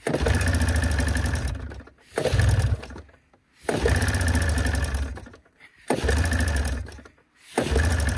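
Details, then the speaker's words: 1987 Arctic Cat Cougar 500 snowmobile with a Suzuki two-stroke, long sitting, gas poured into the carbs: it runs a second or two, then falls away and dies, repeating about every two seconds. It won't take throttle. "oh she won't take any throttle"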